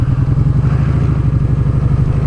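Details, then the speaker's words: Kawasaki Vulcan Vaquero V-twin with exhaust baffles removed: lumpy idle and revs with a fast loose metallic clatter over each firing pulse from the side. Rider suspects something still loose inside the exhaust where the baffle was cut out; not confirmed. "Get a terrible rattle on this from the side when you rev it, accelerate. I think it's whoever took the baffle out, cut it out. It's like there's something loose still in there."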